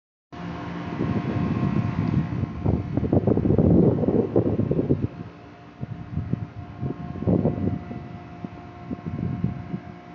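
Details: 2004 Chrysler Pacifica 3.5L V6, previously worked on, with a junkyard part found: uneven low knocking about three a second over a steady hum, judged a bad engine.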